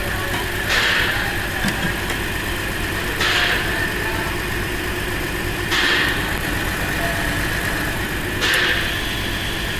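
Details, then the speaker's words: 2008 Chrysler Town & Country/Caravan with idle and misfire codes, throttle body replaced, both O2 sensors dead: uneven idle with a hiss swelling every few seconds; massive vacuum leak under the intake, found with smoke machine. "It's got a massive vacuum leak. Look, watch. I'll get propane. Where's the vacuum leak over? Under the intake somewhere."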